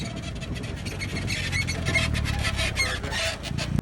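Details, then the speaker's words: Truck with long-travel suspension off-roading: thin high squeal rising and falling as the suspension works, sounding like something is breaking, but it is dry lower control arm bushings overdue for grease; fix is greasing them. "I notice when I off-road and I forget to grease these bushings over some time, they get really squeaky and almost sounds like my suspension's breaking or something's wrong, but it's literally just the bushings."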